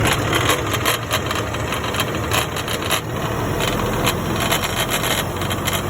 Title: Damage PTO from factory 1 in million rattling not supposed to making noise factory didn’t believe